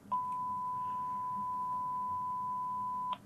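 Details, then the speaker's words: Macintosh Plus repair, test speaker fed a 1 kHz tone at 2.5 volts: clean, steady mid-pitched tone for about three seconds then cut off, no buzz or distortion; this speaker is good. "can hear I've got a tone in that speaker, so I know that that speaker is good."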